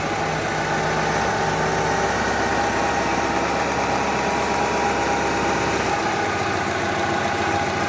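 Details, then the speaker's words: Distributorless-engine car that would not start due to a cracked, poorly seated TDC/cam position sensor connector, after refitting the connector properly: starts immediately and idles with a steady even mid-pitched hum, no misses or knocks; normal idle. "sa hidup sekarang kita pasang lagi soketnya Hai kemudian kita starter lagi Star ya langsung bisa ikut jadi hanya dengan memasang soket"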